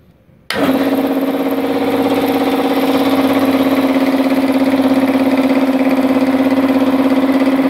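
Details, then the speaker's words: Multipro 2 hp electric air compressor that would not fill, after cleaning packing debris from the leaking pressure switch area: motor settles into a smooth hum with an even pump beat and no hissing; no longer leaking. Normal running. "air compressor ini sudah tidak bocor ya sudah tidak bocor artinya sudah sembuh ini jadi kompresor listrik dari multipro"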